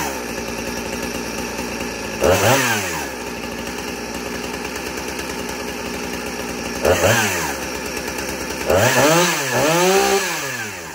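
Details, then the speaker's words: 2010 Husqvarna 455 Rancher chainsaw, chain brake removed, saved from scrap pile: crisp idle, several clean rev-ups, drops straight back to steady idle; normal running, owner calls it a good runner. "But this one's a good runner. It's safe from scrap pile."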